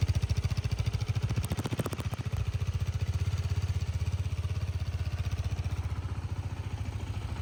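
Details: 2019 KTM RC 390 BS4, about 17,423 km: single-cylinder thumps steadily at idle with a brief blip of revs, even firing, no knocks or rattles; only a slight vibration is noted, engine sounds healthy.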